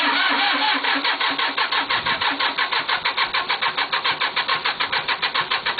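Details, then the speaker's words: Cub Cadet diesel tractor with 874 hours, cold start after glowing the glow plugs red: steady cranking with even compression pulses that never fires. It only tends to catch if cranking speeds up, and won't while cranking slows; cause unconfirmed. "she'll finally start when she start slowing back down cranking she ain't going to do it so anyway that's a f cold start on that tractor"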